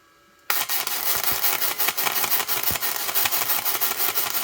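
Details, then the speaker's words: ArcCaptain MIG130 inverter welder, continuous MIG welding at the 130 setting: hissing, crackling arc surging and fading in uneven pulses rather than a smooth burn; owner unsure whether pulsing is normal for an inverter welder. "still pulsing a lot maybe that's a thing with an inverter welder like this I don't know I'm used to a smoother burn with my uh my Big East Wood welder"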